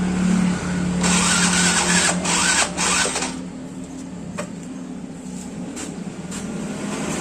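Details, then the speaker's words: Yamaha Mio Soul GT scooter unused for several days: starter spins the engine in rapid even bursts but it never catches, even after a new spark plug; oil level checked and normal. "Ternyata masih belum hidup. Oke, sekarang kita coba cek dulu pada bagian olinya."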